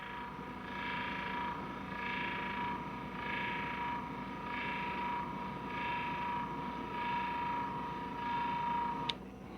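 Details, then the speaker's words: Chamberlain LiftMaster LA400 gate operator bench-tested after repair with new motor kit, control board and parts, running below its 24 volts so slower; steady low motor hum, even drone, no knocks or grinding: normal gate operator run. "works like it's supposed to out it goes now obviously if i had 24 volts on it it would move a little faster but just for test purposes"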